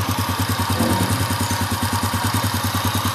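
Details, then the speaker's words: Honda Astrea Impressa motorcycle (same engine type as Grand/Supra/C100) idling cold at about 34 degrees with an even, steady thump and no ticking; owner reports noise only appears when hot: normal cold idle. "ini akan suaranya adem Mas Bro tidak ada suara kemeliik apapun"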